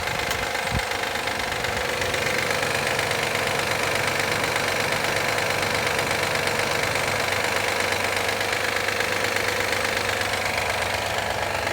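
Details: 2013 Honda Accord EX-L V6, cold weather warm-up: fast, fairly even loud clapping clatter of about three knocks a second over a steady cold idle, happening every time during cold warm-up; cause unknown.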